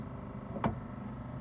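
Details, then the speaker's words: 1970 Chevelle wiper motor tested with second wiper switch, previously modes reversed, fixed by flipping a backwards triangle piece; single click on switching, then steady quiet low hum, no grinding or squeal; low and high speed and park work normally. "As you can hear, that kicked on. Let's go to high speed. And that kicked on."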